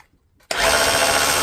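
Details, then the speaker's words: Dewalt DCH273 SDS rotary hammer after repair of a dried, seized hammer mechanism, broken drive connector rod and damaged O-ring, tested in drill mode: trigger pulled, motor spins up to a smooth steady whir with no hammering pulses; normal drill-mode operation. "We weren't hammering, so we'll start off in the drill mode, or in the drill mode."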